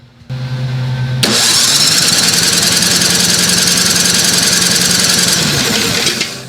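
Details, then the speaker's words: Craftsman SnowKing snowblower, Tecumseh 5.5 hp engine, 24-inch, previously running rich: even, steady cranking for about four seconds with no hitches during compression test after lubricant in the cylinder; about 150 psi, healthy compression. "not bad you got about 150 psi on that that's nice"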